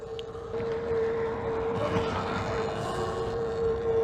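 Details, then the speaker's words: Talaria XXX Pro electric dirt bike while riding; steady mid-pitched whine over riding noise from the rear tire, not the front; rear wheel noise, cause unknown. "You hear that? That's annoying. So it's the rear tire doing that, not the front"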